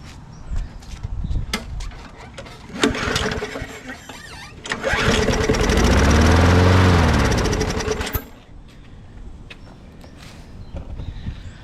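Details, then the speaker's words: 2002 Murray bagger/mulcher, 4.0 HP Briggs & Stratton: starts on second pull, revs in steady patter for a few seconds then dies; engine starts and runs, spark and compression present. "How do you like them apples? Second pull. Fire it up. So, good enough for me. We've got spark. We've got compression to run."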